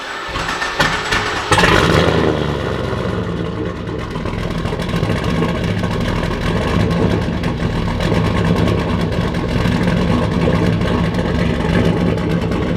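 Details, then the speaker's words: Holden one-tonner ute with turbocharged LS swap, first start with no muffler fitted: very loud, raw, unmuffled exhaust roar from start through revving with deep rumble; turbo did not quiet it, muffler needed. "we're definitely going to have to try and put a muffler in it way rowdier than we expected it to be so you're about to hear it for the first time as i am i really thought the turbo would shut it up at least a little bit and it just really hasn't not even a little bit"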